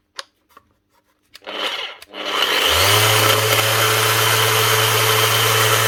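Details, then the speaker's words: Makita BO6050 random orbit sander: the motor spins up to a steady hum with a harsh gritty rasp throughout, from smashed gearbox gear teeth. "Something going on in there. Sounds like the gears getting chewed or something."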